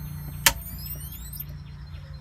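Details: Power converter in Jayco 10 LD camper, only two DC outlets work: thin steady high-pitched squeal with faint low hum; owner suspects converter damage, wiring checked, cause unknown; new WFCO 8735 ordered.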